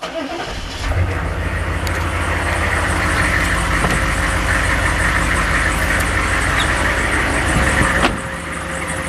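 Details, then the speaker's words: Warm, already-run Corvair engine idling with a rhythmic high chirp as the crooked alternator makes the belt squeak; a gauge reading also drops. "you can hear the squeak from the alternator as well you can see the problem with the gauge dropping"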